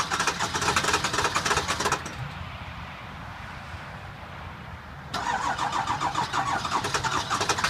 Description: Cold, hard start of the 7.3L F350. Has bad injectors. Been sitting for about a week